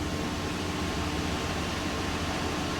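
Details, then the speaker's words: New 48V home solar inverter at its initial turn-on, after the big switch is thrown and the Mate powers up: a steady airy whoosh with a faint constant hum and no ticking or rubbing. The cooling fan is running normally. "Looks like it found the mate. Mate's powered up. I hear the fan"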